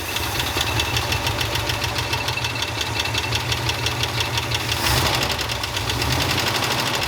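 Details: 1969 Ford F-250 with a believed 390 FE V8, sitting 21 years, running on old oil at 40 psi with exhaust straight out of the muffler. Fast, even ticking keeping pace with engine speed over a steady idle rumble: judged not an exhaust leak, a noisy lifter.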